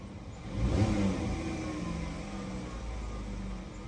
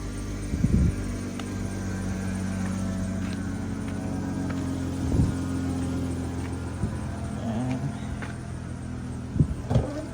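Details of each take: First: Dodge Caravan after repair of cylinder 3 misfire, white smoke and check-engine light: petrol engine blips up cleanly and settles to a steady, even run with no stumble; check-engine light gone, no smoke, RPM response good. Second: Dodge Caravan idling rough with white smoke: uneven hum and irregular thumps from a misfire on cylinder 3, with check engine light and oxygen sensor reference voltage circuit and fuel system codes.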